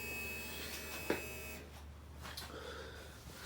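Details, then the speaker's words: 2020 Keeway RKS 125 fuel-injected motorcycle that won't start: a faint steady electric buzz of about 1.5 seconds that cuts off cleanly; normal fuel pump prime. "so what I'm going to do I'm going to take it off I'm going to change it with a different one and hopefully this will be our problem so you can hear the fuel pump product back again"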